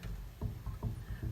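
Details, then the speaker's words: 1961 Lakewood box fan with GE motor, just oiled and spinning free: three soft clunks as the shaft is pushed in and out by hand, slight in-and-out play and a little up-and-down; motor shaft end play. "We've got a little in and out play, but no up and down. Well, a little bit."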